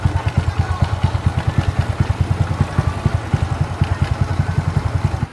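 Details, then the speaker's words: Yamaha Mio CVT: rapid, even clattering about nine pulses a second over the idling engine, a loose knocking from the belt drive; CVT rattle traced to a broken slider and worn, dented rollers. "Karena ada suara keltek-kelteknya dulu."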